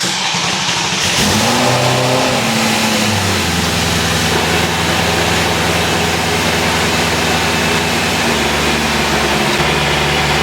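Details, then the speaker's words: S65 V8-powered BMW E30 M3 track car just fitted with a Drenth DG500 sequential gearbox: cranks, catches with a quick rev, settles into a smooth, even idle with no knocks or misses. "well at least it still starts yeah yeah and it still sounds good as well quiet does it it's very quiet car it's lovely"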